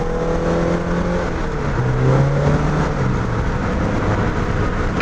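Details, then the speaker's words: 2.5-swapped NC Miata in third gear, floored from 2000 rpm: the engine note flares as the clutch slips from about 3000 to 4000 rpm, then catches around 4500 rpm if held. The clutch is suspected of slipping. "that is not good that is not good it slips from like i don't know hopefully you guys can maybe help me with this but and so it slips from like three thousand to four thousand if you stay in it it kind of catches at 4 500."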